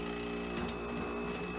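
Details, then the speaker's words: Modern air conditioner running: steady compressor and fan hum with busy buzzing rattle on top; compressor itself quiet but casing rattling a lot. "i will say the compressor is actually pretty quiet but it's it's rattling a lot"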